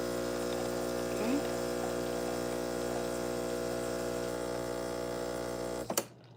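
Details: Bravo espresso machine pulling a double shot into a mug under the portafilter: steady low buzzing pump drone holds even for six seconds, then cuts off with a click; normal pump running through a shot.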